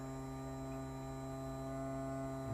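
A steady, even electric hum with no wavering or rattle; the bilge pump motor is running normally.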